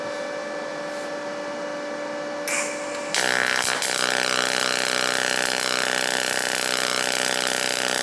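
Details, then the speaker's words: Firstess (Yeswelder) DP200 dual pulse MIG welder in pulse mode, 0.035 wire, 14-gauge steel T-weld, non-recommended shielding gas: after strike a steady, even buzz with high whine on top, sounding different from standard MIG; smooth, stable pulse weld, pretty bead. "Now you can definitely hear it sounds different. Yeah. Yeah. But I mean it the welding process is very nice."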